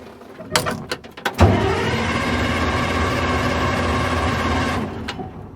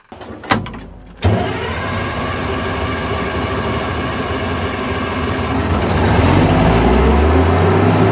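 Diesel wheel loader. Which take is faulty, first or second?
first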